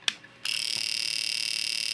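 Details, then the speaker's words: Fuel injector tester after repair of a broken circuit trace, pulsing a known-good injector on battery power: crisp, rapid, evenly spaced high-pitched clicks with no skips, output LED flashing; tester and injector working. "We are working. And you can see that my output LED is flashing."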